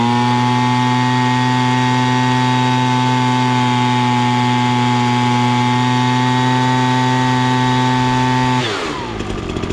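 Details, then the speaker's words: Ryobi BP42 backpack leaf blower after carburetor adjustment screw turned about half a turn, set slightly rich past max rpm: steady, clean high-pitched buzz held at full throttle, drops away on release; normal high-rpm running. "you could hear it basically hit max rpm and then i just went a little bit farther to go a little on the rich side"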